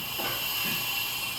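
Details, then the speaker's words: Toyota GR Corolla after EcuTek tune, intake system pressurized for leak test: sharp, steady high hiss of escaping air from right side; boost leak at intercooler charge pipe coupler. "we didn't even need to we just heard it it's coming from the right side over here it's going to be the charge pipe"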